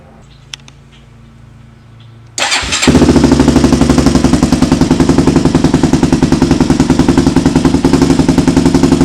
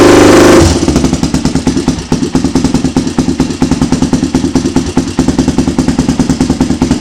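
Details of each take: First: Rebuilt 400EX single-cylinder quad on its first heat cycle, after the plug and solenoid were blamed for the starting trouble. It catches and settles into a loud, fast, slightly uneven burble with black smoke; running rich, or debris or a baffle may be in the exhaust. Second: Honda 400EX ATV being rebuilt: loud, even single-cylinder thump around three beats a second, steady and strong with no misses; sounds good. Normal running.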